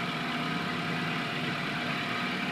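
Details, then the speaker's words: 2007 Toyota Corolla XLi that had black smoke, misfire and vibration, fixed via mass air flow sensor work; engine now idles with an even, steady hum, no stumble, shake or miss. "ये देखिए इंजन जो है ना अभी बिल्कुल स्मूथ है, बिल्कुल स्मूथ है इंजन।"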